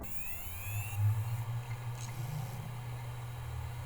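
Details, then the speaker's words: Hard drives on an acrylic rack in a Raspberry Pi Compute Module 5 NAS, SATA via ASM1166 NVMe adapter, first power-up: low steady hum builds as drives spin up with faint rising whine, no clicks or grinding; healthy. "Now on powering the drives, you can hear the drive spinning and coming"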